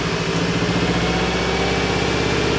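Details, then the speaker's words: Subaru GC8 version three STI idling unevenly with a lumpy, stumbling exhaust beat; misfire began after an overheat, smooths out with a little more throttle; compression test planned. Misfire at idle. "You know, cars have different style misfires. We've seen things like with mass airflow sensors, the car's misfiring a little bit or timing or spark plugs or whatever. So just to give you guys an idea of what it sounds like."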